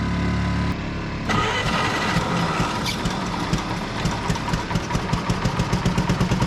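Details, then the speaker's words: Pony starting engine on a cheap road grader, about 30°F morning, battery plus jump pack: with one plug out it cranks and catches into a lumpy uneven beat; stuck-open valve letting gas pour in, no compression. "and it runs and as soon as I put that plug in the other side it won't run so weird I don't understand and here's the problem you would not have two valves open at the same time so this valve whichever one that is is stuck open"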